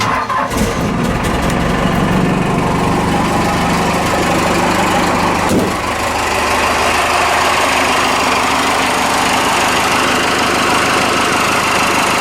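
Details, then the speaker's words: Ford F-150 with swapped Cummins 6BT diesel, first start after fitting fuel return line, gaskets and hoses on front tank, about six gallons fuel: brief crank, catches into steady clattering idle, responsive throttle, turbo whistle, no smoke; normal start. "oh yeah this engine will shake your truck that's why they say it comes forward makes it come and shakes it yeah turbo whistle it's not smoking today it's good sounds like a baby for uh 6bt"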